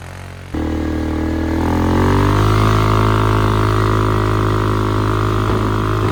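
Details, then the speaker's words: 2001 Polaris Sportsman 500 HO after flood repair, test ride: loud single cylinder rises smoothly to steady high speed, even firing, no knocks, noisy aftermarket muffler; AWD works, fan cycling so cooling properly; primary clutch engagement delayed. "Well, she's running, driving, all-wheel drive's working, the fan's kicking on, so it's cooling properly."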